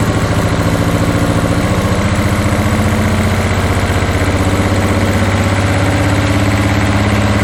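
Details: 1981 Toyota Hilux RN46 4x4 with 18R-C engine, freshly rescued, running off a hand-held fuel can: steady lumpy pulsing idle, seemingly all cylinders firing, with occasional pops; owner guesses ignition timing slightly out, unconfirmed.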